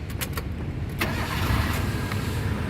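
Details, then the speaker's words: 2003 Mitsubishi Lancer Cedia 1.6 GLXi manual, about 193,000 km, started in neutral: brief crank and it fires promptly within about a second, then a smooth steady idle; starter and battery healthy, as a hesitant start would suggest a weak battery or starter. "pada saat kita Nyalakan mobil pastikan bahwa nyalanya itu jereng karena apa kalau dia nyalanya tersendat Berarti ada kemungkinan permasalahannya bisa jadi di akinya sudah soak atau bisa jadi di dinamo starternya yang bermasalah jadi perlu diservis atau direparasi"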